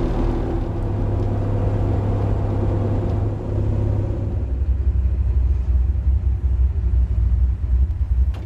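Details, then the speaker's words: Tempest being carb-tuned for altitude in Colorado, idle and intermediate circuits adjusted after ignition, while warming up: deep, steady low rumble, no misses or stumbles, now more civilized — normal idle. "sounds a lot more civilized now doesn't it just warming up got a little more heat in it"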